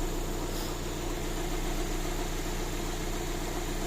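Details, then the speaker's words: VAZ 2112 after a major engine rebuild: petrol engine idles smoothly and evenly, no more hydraulic lifter knock; the cause was the oil pickup. "И как видите, нифига не стучат больше эти гидрокомпенсаторы. Всё же всё было дело в маслоприёмнике."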